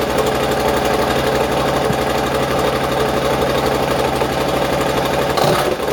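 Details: Triumph motorcycle first run-up after rebuilt, repainted exhaust fitted: fast, even exhaust pulses staying steady with a brief blip near the end; normal running.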